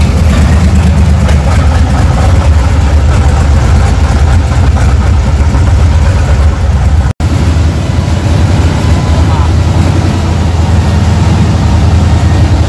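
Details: 1976 Tatra 813 V12 diesel truck, first start after about 20 years sitting, head removed and cylinders and pistons cleaned, damaged parts replaced: deep steady even rumble, no knocks or misses, normal idle.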